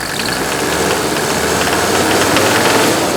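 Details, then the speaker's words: Mercedes W126 300SD diesel revved with the hood open: a hard metallic clatter rides over the engine note and rises with speed. Injector nailing, probably from old fuel (suspected, not confirmed). "can hear the injector nailing. Probably got old fuel in it. Right on the metal."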